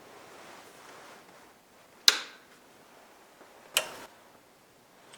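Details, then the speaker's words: Pioneer SX1010 receiver with a right channel distortion / low output complaint, powered up slowly with dim-bulb limiter bulbs added: quiet hum, then two sharp clicks about two seconds apart as the speaker protection relay engages normally and the lamps stay dim. "you heard that click and you can see how dim everything is now"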